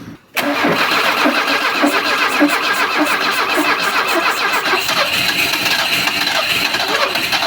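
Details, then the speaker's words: Alfa Romeo 33, about 40,000 km, unrun for 23 years: starter cranks steadily, ignition, compression and oil pressure present, but no fuel and it won't fire beyond starting spray; fuel pump suspected, not confirmed. "no gasoline yet I'm trying to I'm trying to pull the gasoline in with having a lot of a lot more speed of the engine but still I have nothing uh it wants to it wants to run with the spray but that is quite not quite enough"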